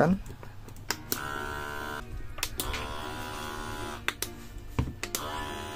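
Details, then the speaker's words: Electric gallon water dispenser pump upgraded to run on three batteries; steady buzzing motor whine at even pitch, seemingly louder than before, with a few handling clicks: pump running strong and normally. "From the sound, it seems to be getting louder, friends."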